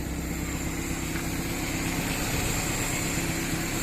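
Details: Automatic-transmission engine converted to carburetor and distributor after its computer box went missing and it sat about 3 years: steady even idle with low constant hum, no misses, knocks or surging; running smoothly.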